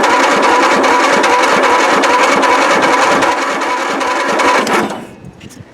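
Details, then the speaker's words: Free riding mower, jump-started through a cheap jumper cable: dull, labored cranking about four turns a second that drags then cuts out; owner suspects debris in fan shroud or low voltage through cable, unconfirmed. "all right so that seemed a little sluggish I don't know if there's debris in the fan shroud or the starter is just dragging through the low voltage going through this cheap jumper cable"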